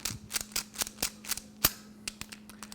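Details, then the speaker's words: Mercedes steering lock assembly recorded close to the microphone: the key goes in sticky and notchy, and turning it gives uneven dry clicks and snaps. The sticky lock assembly has been sent in for rebuilding. "when you try to push the key in look it doesn't doesn't go in easily see that and it's very notchy when it goes in and when you turn it you can hear all that noise in the"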